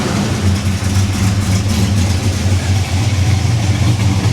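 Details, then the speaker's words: 1974 Chevy El Camino V8 after freeing stuck baling-wire throttle: heavy lumpy idle surging and sagging, loading up rich with smoke though running better; choke still mostly closed, loading up like the previous engine. "okay well it's a start she is running better the choke's probably still closed mostly it is it's mostly closed"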